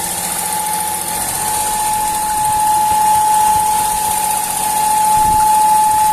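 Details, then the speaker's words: Fiat Uno Firefly 3-cylinder engine at idle: a steady high whistle near 850 Hz over a smooth idle from a failed valve cover (PCV) diaphragm; replacing the diaphragm fixed it. "apitando motor um barulho esquisito diafragma na tampa de válvulas"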